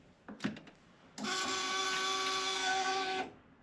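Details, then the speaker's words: 1999 Harley-Davidson Electra Glide with 90,000 miles, cold, replacement fuel pump priming at key-on: after a click, a steady high buzzing whine for about two seconds, louder than expected. Fuel pump whine. "I'm going to be honest with you. This pump might sound worse."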